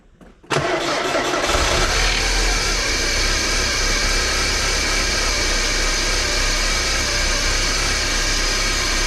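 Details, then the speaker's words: 1993 Porsche 968 3.0 engine, previously very noisy, after timing and balance shaft belt work: cranks briefly, catches and settles into an even, smooth, much quieter idle with no chatter or knock. "like well that definitely sounds a lot quieter"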